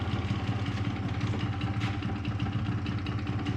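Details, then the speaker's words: 2005 Yamaha YW50 Zuma 50cc two-stroke scooter, first start after revival: smoky, low, uneven putter and rough idle. Battery reads 12.8 V, so it is charging; the gas tank is not yet bolted down. "glad it's idling batter is at 12.8 so it's charging too it's just that's a rough idle it's alive"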